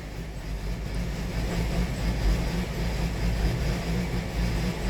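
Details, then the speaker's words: 2018 Hyundai Sonata 2.4 with P1326 knock sensor code, knock sensor showing noise detection on cylinders: low, uneven, stumbling engine beat running very rough; cause not pinned down. "noise detection on the cylinders. I mean, it's running horribly."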